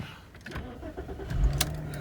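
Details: Audi A4 after fitting secondhand reversing sensor and cleaning rear lamp clusters to cure bulb warning and bleeping at start; short crank catches quickly into steady low idle with no chime or bleeping, normal start, no warning lights.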